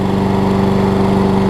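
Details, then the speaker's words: Troy-Bilt big-wheel self-propelled mower after carb bowl gasket repair, oil topped up: runs smooth and steady with even firing and no knocking, smoking from oil in exhaust; normal running. "But, look how Listen to how smooth it's running. Really, really smooth."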